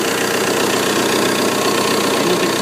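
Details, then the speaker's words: 1995.5–1999.5 VW Jetta MK3 TDI (1Z/AHU diesel) run-tested after replacing the alternator belt tensioner and pulley; steady diesel idle with an even clatter, belt not slipping, no squeal or chirp, much better than before, a normal idle. "belt not slipping no funny squeaks yeah sounds so much better than it did"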